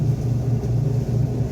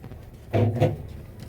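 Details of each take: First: Electrolux washing machine during spin test after fixing the noise from a motor pulley part and slipping belt: smooth, steady low drone with no squeal or slipping, spinning normally. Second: Electrolux washing machine agitating during a wash, with short honking groans in bursts. The noise comes from the worn plastic motor pulley.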